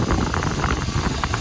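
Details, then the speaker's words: GM 5.3 V8 after replacing water pump, idler, tensioner and AC tensioner pulleys and both belts, driven a day: rough busy idle rumble (owner says motor still sounds bad) but no belt squeal or chirp; pulleys and belts quiet. "no squealing pulleys. There's no leak back here. Motor still sounds like shit, but the pulleys sound great, so everything's good."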